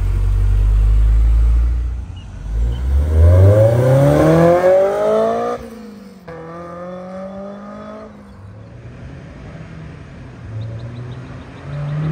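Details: Silver Honda S2000 with UK Mod exhaust, checked for rattles, drive-by on a side road: clean rising rev then fade, no drone or rattle; healthy, new-exhaust smell burning off.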